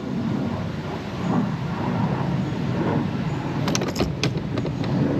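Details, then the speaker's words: Early-2000s Johnson 60hp outboard after water pump replacement, shifted into gear: a steady drone with a couple of sharp clunks as the gear engages, then an even run; it shifts normally. "We put it in gear and see what it does. Think I heard it. Yep, it's in gear."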